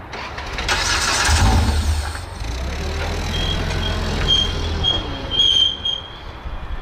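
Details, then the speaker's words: Side-by-side (RZR X3 or YXZ) wrecked when the trailer rolled on the highway: starter grinds, engine catches with a short burst then sags and dies within seconds; owners suspect a safety cutoff killing fuel pump or injectors. "i wonder if there's a safety cut off on these or something they're not aware of that's what i was thinking new feature yeah but how would it fire unless it's just killing the fuel pump or injectors right after it fires"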